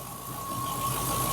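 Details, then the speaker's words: Mk2 Triumph Stag at operating temperature after ignition timing and balancing of the standard Zenith Stromberg carbs, fast-idle choke backed off. The idle is steady and even with no misses, hunting or knocks: a normal smooth idle. "And as you can see, it's pretty blooming smooth. If I take you to the back of the car, you should, through my microphone, be able to hear a nice smoot"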